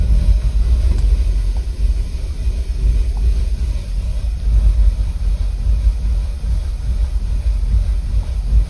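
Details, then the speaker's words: Audi engine, 171,000 km, warmed up at idle in winter: rough, shaking idle with uneven stumbling thumps; cylinder 2 drops out completely (earlier misfires also in cylinder 4), no fault codes, then stalls; suspected injector or short. "работает да у нас второй цилиндр вообще не А у нас и в четвёртом пропуске были но выпадает второй полностью её колбасит блин всё заглохла"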